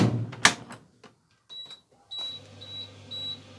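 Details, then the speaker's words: Electrolux (Simpson/Westinghouse type) tumble dryer during testing after inner shroud replacement: a few clicks, then short high beeps about twice a second warning door open; owner suspects a removed plate, and refitting it stopped the beeping. "that's saying the door's open why is that saying the door's open it's shut or maybe it's not ah because maybe i've taken this plate off"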